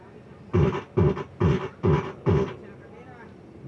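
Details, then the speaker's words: Home Vision amplifier with distorted sound, tested after temporarily fitting the balance control: short harsh bursts sound buzzy and broken up at every peak, so it is still distorted and the tone-control (GRC/JRC) IC must be replaced. "basag pa rin mga karesiklo. Basag pa rin mga kariklo. Wala. Magpapalit talaga tayo ng JC."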